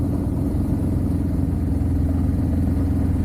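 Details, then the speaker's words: Suzuki Katana 750 recommissioned after 31 years standing, on a test ride after cruising at 40 mph and 2,500 rpm: steady drone with a stumbling, irregular beat and vibration as it slows; the rider thinks it is down to two cylinders, but the cause is unconfirmed. "Oh dear, that doesn't sound good. Oh, I think we're going to break down. No, don't do this to me. She's misfiring, she's not happy."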